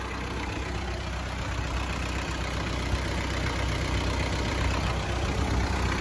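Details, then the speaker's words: 1994 Isuzu Panther diesel, first owner, never overhauled in 30 years, after repair: warm after full-AC drive from Malang to Blitar, temperature 90; steady even clatter idle, no misses, normal. "Temperatur segini, ini full ya. Jadi full AC dari Malang sampai Blitar lagi full AC. Buka ini. Sangat aman. Jadi temperatur 90 ini. Tapi masih aman, ini nggak masalah."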